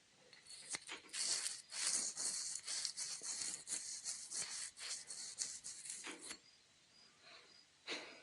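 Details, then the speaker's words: Shovelhead cam chest opened: inner bearing spun by hand gives dry rasping grit in uneven bursts; owner hopes this was the cam chest noise and plans to replace it. Gritty bearing, suspected not confirmed. "And I'm hoping that was the noise, cuz that's that does not sound good, but it doesn't doesn't give me warm and fuzzies hearing that grit in there. Feels like grit."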